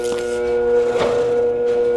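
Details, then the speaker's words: Old free electric motor on a grain cleaner, powered through an extension cord: loud steady electrical drone with no spin-up, then it smokes; hums but won't start, owner suspects the extension cord is too light. "I could hear the motor wanting to run, and we just smoked that. I think I might need a heavier extension cord."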